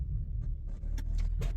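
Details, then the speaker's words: Ford Territory with Barra engine, 2.4 ton, water in rear two coils causing misfire when hot, serviced on 15W-40: deep even rumble on full-load standing takeoff, no stumbling or popping; some centre bearing noise noted. "stationary takeoff just do a bit of a of a load up and let it rip"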